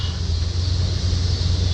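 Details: 1979 Ford Pathfinder Quadravan 4x4 V8 with new carburetor, after restart; needs tune-up and has some vacuum leaks: steady even low rumble, no knocks or misses, good oil pressure; normal idle.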